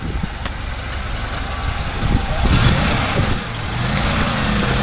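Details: VAZ 2107 carburettor engine after an idle adjustment of just two movements, first service in 3 years: steady, even idle with a low smooth rumble and slight rise pulling away; no hunting or stumbling, running fine.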